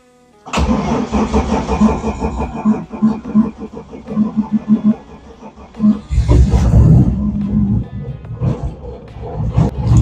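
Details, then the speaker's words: BMW E30 Touring, M50B25 engine, on ethanol fuel in very cold weather, oil suspected in combustion chamber: long uneven cranking about three beats a second before catching and running rough; long-cranking cold start. "c'est la joie de l'éthanol quand il fait très froid mais démarre toujours cette voiture"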